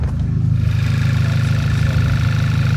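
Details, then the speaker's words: Auction car engine with 130,000 km, warm idle: low, smooth, even idle with no knocks or ticks; sounds really healthy, no oil leaks, rocker cover sealed. "yeah the idle's coming down now that was warm sounds really healthy"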